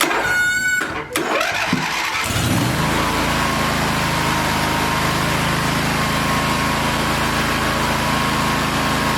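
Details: Cub Cadet zero-turn mower with a Briggs 23 hp twin swapped in for a 23 hp Kohler Command: starter cranks briefly, then the engine catches and settles into a steady, even run with no misses or knocks; normal start and idle.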